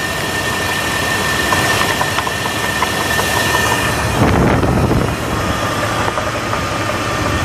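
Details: 2000 Jeep Grand Cherokee 4.7 V8 idling with irregular upper-engine knocking, plus some chirping and squealing; cause unknown; upper engine knock with chirping.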